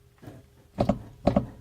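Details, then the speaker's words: Audi B7 RS4, driver's rear wheel pushed by hand: three quick dull double clunks. Suspension clunk under load; suspected bad strut top mount or loose shock top nut, and the suggested fix is to remove the shock and check its tightness. "to me this truck mount is either bad or this shock hasn't been tightened like up there the very top of the knot so I would take this shock absorber off make sure that the top is tightened that that strut mount because it feels like it's not to me that's why it's making noise"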